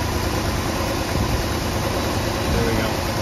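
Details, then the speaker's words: 1966 Ford Thunderbird, first start in years after engine reassembly, idle screw just adjusted with a screwdriver: steady, even idle rumble with no stumbles or dips over background hiss; normal idle. "it's better pretty awesome so hey we got the old Thunderbird back running"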